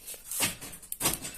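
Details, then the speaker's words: Toyota Kijang original door-lock module after replacing its transistor and resoldering the pins: two quick, firm clunks about half a second apart, with the actuator throwing crisply and more strongly than before, working normally. "sekarang Roso banget teman-teman rusa iki yo opo kan Kalau kemarin nggak sekuat ini sekarang itu suaranya sampai mantep"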